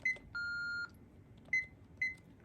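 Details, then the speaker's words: 1997 Panasonic KX-TCM422 analog cordless phone with answering machine, in remote/settings code entry. The base gives short high beeps, one long tone, then quick chirps, its six-beep signal that an invalid digit was pressed. "If you press any invalid digit, you hear 6 beeps from the base."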